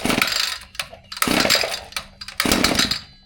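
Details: Echo 2620 trimmer, cold, not run that day, primed with choke on, plenty of fuel: fires in short surging bursts that die each time, never holding idle; poor running and bogging, cause not yet found.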